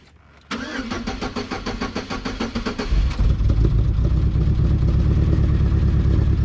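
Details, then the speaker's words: 2.2 non-Ecotec four-cylinder (Sunfire/Cavalier/S-10 type) after timing chain and crank sensor replacement: cranks about three seconds, fires and idles with a slightly uneven flutter; owner suspects a bent valve, compression check pending. "It don't sound gooder. Sounds like it's still got a little bit of a flutter. So, may have a little bit of a bent valve."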